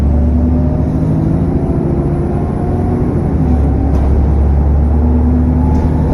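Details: SN61 DDE E210, driving on a dead run back to MB: heavy low rumble with a thin high turbo whine on top and faint cooling fan roar; cause unclear.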